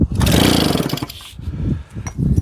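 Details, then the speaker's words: JAP 36cc two-stroke engine coupled to a Stuart water pump: repeated pull-cord bursts with brief sputters but no catch. Throttle pinned open, petrol leaking at the tap; plug pulled is dry with a good spark, so a fuel delivery problem is suspected. "Oh, our plug is a little bit dry, guys. So, I think we have a spark. I think we have fuel delivery issue."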